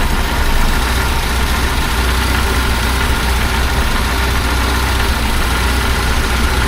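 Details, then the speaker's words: 1976 BMW 2002 (E10) M10 four-cylinder with new Weber-style carburetor, re-jetted, and swapped coil: even, steady idle around 700–800 rpm, could be turned down; earlier clicking cured itself; not yet fully warmed up. Normal idle. "And it's idling about 790 or 800, between 700 and 800. So I could turn that down a bit if I needed to, but I'll just ignore it for now."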